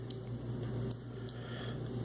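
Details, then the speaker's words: Shakespeare Sigma 2200 CK 025 vintage ultralight spinning reel: sharp sparse clicks while turning because the silent anti-reverse cam is misaligned and the dog moves up and down; fixed by aligning the drive gear tab and hole. "So what happens now is you've lost your silent anti-reverse. I hope y'all can hear that clicking. And that's because the dog is moving up and down as it rotates."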